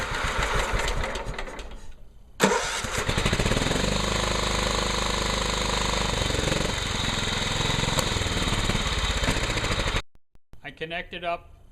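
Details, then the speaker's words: John Deere STX38 Hydro lawn tractor after new carburetor (old float stuck open, gas filled crankcase) and oil change: cranks briefly, catches and settles into a steady, even single-cylinder chug; runs and cuts fine. "adjusted the throttle seems to run fine seems to cut grass fine"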